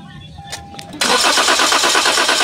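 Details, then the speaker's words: 2023 Toyota Veloz automatic that cranks but won't start: fast even starter churn with no firing; spark present but no fuel pressure despite a strong pump, which was then removed. "So ito na. May lumabas na na kuryente. Yung gas na lang ang wala."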